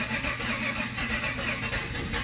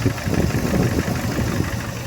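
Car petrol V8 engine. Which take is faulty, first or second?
first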